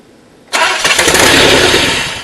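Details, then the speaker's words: DeLorean with the aluminium intake hot: cranks, catches and runs with a loud hissing rush of air and an uneven beat. There is a huge intake vacuum leak; the bolt has to be tight to seal, and a new bolt is needed. "it's gonna have to have that bolt tight because as you can see it's already got humongous leak in there and if that's not sealing properly then this thing will never run right"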